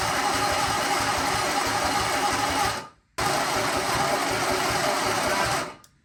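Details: Sunbeam Alpine 1725 engine, set at top dead center on compression and cranked with starting fluid at wide-open throttle: the starter whirs in two long bursts with no catch. There is spark upstream but none at the new plugs, and the starting relay keeps sticking.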